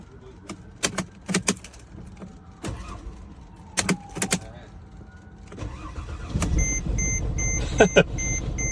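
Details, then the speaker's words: Car started with a VTOMAN X7 jump starter on boost after about 10 failed attempts: a few clicks and clunks, then the engine catches and settles into a steady idle with a chime over it, clean start. "After 4 fill it up, after 10th attempt to turn it on the car, it jumps right up."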